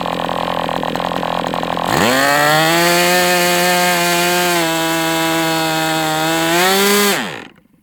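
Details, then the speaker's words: MDS 68 FS Pro four-stroke glow model engine on break-in, almost out of fuel and sucking air. High steady buzz climbs in pitch near the end, then dies as it leans out. Heavy exhaust smoke; carb appears to have been tampered with. "It's almost out of fuel. It's like about sucking air now."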